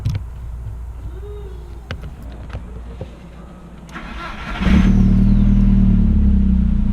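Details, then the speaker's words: VW MK4 1.8T after stage 2 ignition tune-up (2.0T coil pack conversion) and starter replacement: quick clean crank with no grinding, catching straight into a steady idle; the earlier starter grind is gone. "Well, at least I don't have the starter grind anymore."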